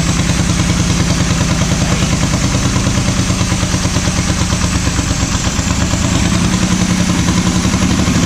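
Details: Small diesel truck that sat five years: hammers hard with a rapid even clatter that keeps climbing instead of settling, running away on its own fuel.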